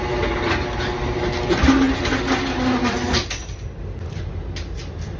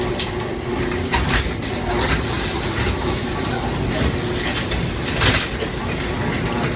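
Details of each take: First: Garage door opening and closing after replacing steel rollers with nylon sealed 6200ZZ-bearing rollers, before lubrication; smooth even rolling rumble about three seconds, no scraping or clanking, much quieter, normal operation. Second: Garage door opening and closing before replacement: constant rattling rumble with scraping squeals and sharp clacks from worn, corroded metal rollers running rough in the track.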